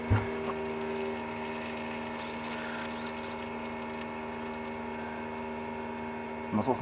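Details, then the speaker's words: Motorhome (converted bus) heating/hot-water boiler room: induction brushless circulation pump, supposed to run quietly, gives a steady electrical buzz with several fixed tones over faint water swish; cause unknown. "because some strange buzzing is coming from it. And in theory it shouldn’t buzz; it’s induction brushless, supposed to work quietly"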